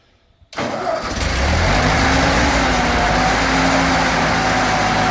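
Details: 1942 Ford 9N tractor after points work: starter catches in half a second, engine fires and settles into steady even idle, no misses or stumbles; runs fine.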